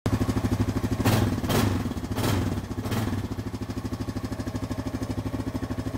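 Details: Honda 420 ATV engine idling with a lumpy, uneven pulse and occasional stumbling beats, a misfire tied to the front brake start interlock.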